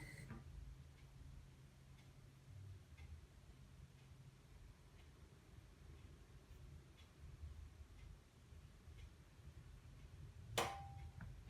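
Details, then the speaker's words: Candy CLG64SPN gas hob after thermocouple replacement: quiet then one sharp clunk as burner is turned off; flame failure safety valve dropping out normally, confirming the repair. "clunk was the failsafe kicking into action"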